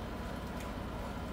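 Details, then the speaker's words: Air conditioner outdoor condenser unit near hot sheet metal in very high ambient heat with low voltage, after being cooled with water: smooth even rush of air and low steady hum, no knocking or straining; now running normally with lower pressures. "Ya ahora prácticamente no se escucha. Eso es porque está pasado de temperatura, porque está muy cerca de la chapa, la temperatura ambiente es altísima y un poco de agua lo ayuda muchísimo."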